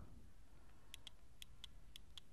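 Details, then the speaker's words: Denso waterproof horn on a 2010 Yamaha Byson, wired through a 12 V 40 A four-pin relay, button pressed: only faint sharp ticking, about seven ticks in two seconds, no horn tone; blamed on a shifted internal part. "saya Tekan yah nyala nih sambil ditekan ini ini bunyi tik tik tik kayak gitu"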